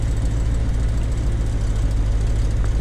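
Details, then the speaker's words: 1993 Chevrolet C4 Corvette with new rebuilt V8 at idle: lumpy uneven running with rattle, steering wheel shaking, car rocking, steady rpm, backfires when driven; misfire from swapped spark plug wires on cylinders six and eight. "hear the rattling going on it's just like that's about what the steering wheel is shaking this whole car just kind of rocks side to side it's just it's not running clean at all rpms aren't fluctuating but it's just not running clean"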